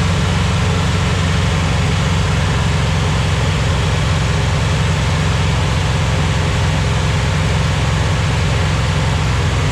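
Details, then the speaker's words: 241 Red Ram Hemi V8 during cam break-in, oil pressure about 30 psi: loud, steady fast idle with an even rumble and no tapping or misfire. Normal, healthy running. "I almost killed myself just for you guys it sounds good"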